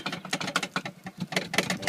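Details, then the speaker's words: Rear luggage area of a Volkswagen Touareg owned 5 years: light, uneven wooden clatter in bursts, engine off; two homemade wooden wheel chocks loose in the spare-wheel well rattled for years, mistaken for rear suspension knock. "Здесь вот у нас есть запасное колесо. Что я обнаруживаю? Я обнаруживаю стук."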